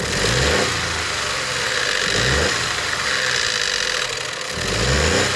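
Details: Ford 1.0 EcoBoost three-cylinder idling with light rhythmic ticking and rattle swelling and fading; owner suspects VANOS/cam phaser noise, unconfirmed.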